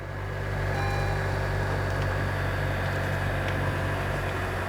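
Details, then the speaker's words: Florida saltwater flood car, underside wiring showing no corrosion, after starting right up: smooth, steady idle with an even low hum and no ticking, knocking or hunting; traction control light on, no check engine or airbag light; normal idle. "let's see if it starts [Applause] started right up awesome sounds very healthy"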